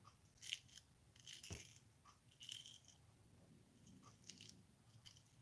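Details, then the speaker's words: DragBug rear differential freshly packed with a blob of grease, turned slowly by hand: soft, irregular crunchy clicks that sound like grit but are just the fresh grease settling. Normal. "Sounds like grit, but it's not. It's literally the grease."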